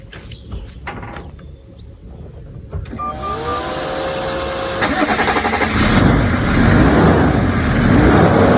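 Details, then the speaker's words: 2002 Range Rover P38 Westminster, 2.5 BMW diesel, 176,000 miles, new water pump: short crank, clean catch, then a smooth, quiet idle that settles evenly with no knock or misfire. Normal start and idle; healthy engine. "So yeah, it sounds nice and smooth, quite quiet."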